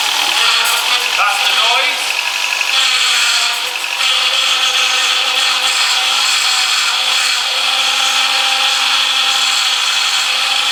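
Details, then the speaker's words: Power steering pump being bled after the system was completely empty, with the wheel turned lock to lock. A harsh whirring groan and steady whine from air in the system; prolonged driving like this would damage the pump. "now that's the noise you can hear which obviously doesn't sound particularly very nice but you you're okay now if you your drive like that for a long time making that noise you would damage your pump but obviously we're just bleeding it"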